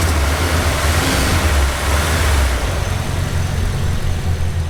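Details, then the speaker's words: Engine fired right up after sitting a long time: steady, even low idle rumble with a few mild rev swells, no knocks or misses; sounds healthy. "It seems to be doing pretty good. She needs a little love for sure, but yeah, she idles, sounds healthy."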